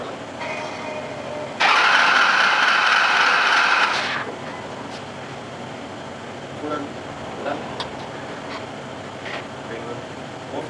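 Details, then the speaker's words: 2001 Cummins diesel just after installing custom 7x.009" SAC injectors, lines bled: about two seconds of loud cranking, then it catches and settles into a low, steady idle, watched for stack smoke. "crank her over till she fires so anyways I'm going to point it at the stacks to see how much she smokes now"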